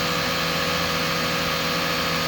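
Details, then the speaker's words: 1999 Lexus ES300 V6 after head removal and engine rebuild with pistons out, idling in park just under 1,000 rpm, slightly high and may need to relearn: smooth, steady, no knocks, ticks or rattles. "The idle is a little high, but uh yeah, so far so good. Listen to that, man. She idles nice. No more noise, nothing."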